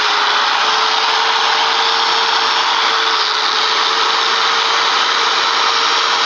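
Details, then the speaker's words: Power tool gearbox just after greasing: a steady high-pitched motor whine with an even tone. The slight gear grinding heard before greasing is gone, and it now runs smooth. "Wow, I could hear the before I would hear the gears kind of grinding together a little bit. Now I got the grease in here, it just"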